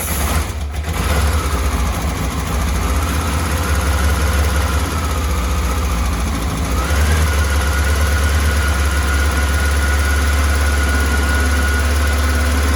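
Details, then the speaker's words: 1984 Honda CBX750 after engine repair and refit, hot start on booster pack: catches within a second, settles to even idle, light blip raises revs cleanly; smooth and healthy, idle may need lowering slightly. "this is a hot start very happy she's running quite [Music] nicely not too bad not too bad probably use the idle knocking down a little bit"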